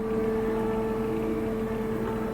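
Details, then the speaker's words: Ewag retrofit servo motor with a steady electrical hum near 450 Hz plus a lower tone. Vibration is felt through the handle and motor, and it stops when the handle is slightly twisted. "I hear a noise humming and narrowed it down to the servo here grab the handle I'll feel lots of vibration through the handle grab the motor I feel the same harmonics through the motor I hear a slight humming noise inside"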